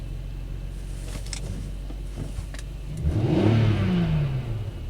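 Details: BMW X5 (owner's wife's car), rev test after swapping mass airflow sensors between two BMWs, original sensor refitted: quiet steady idle, then a clean quick rev rising and falling smoothly with no stumble or pops; misfire absent, engine pulling healthy.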